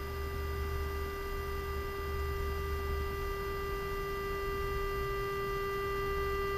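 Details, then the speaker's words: Emerson R-156 electrodynamic speaker with new field coil, supply ramped slowly to energize field, 400 Hz generator tone: clean steady tone rising in amplitude, no buzz or rattle; working properly. "okay that's a great sign I think I'll just leave it there for now"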